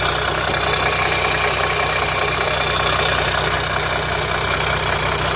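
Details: 2007 Jeep Grand Cherokee 3.0 CRD diesel idling after about five minutes warming, oil light on at idle, level correct: steady harsh metallic rattle; owner suspects timing chain guide breaking up, oil filter/pickup starving oil pressure.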